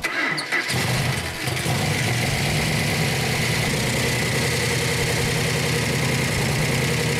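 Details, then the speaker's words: Engine on a run stand with the original six-pack carburetor setup and a proven coil: it catches within a second and settles into a strong, even, deep V8 run with no misses; runs well, with rockers still needing adjustment. "shoulder oh that runs good very good royal needs to adjust the rockers but that's beautiful"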